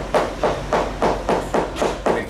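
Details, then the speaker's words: Tap test with hammer on fiberglass yacht hull: even taps about three a second turn dull and hollow, hollowness in the first layer leading toward the center of the problem; delamination, possibly insufficient resin. "more Hollow but the hollow sound is in the actual first layer and then it starts getting to the center of the problem"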